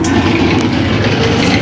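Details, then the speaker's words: Maytag washer in spin cycle: loud, constant rough roar throughout the spin; customer says it is very noisy when spinning, another technician blamed the bearings, shop inspecting; grinding noise, cause not confirmed. "dice el cliente que cuando cuando la pone cuando está exprimiendo cuando está en el spin hace mucho ruido como pueden escuchar dice que hace demasiado ruido cuando está exprimiendo"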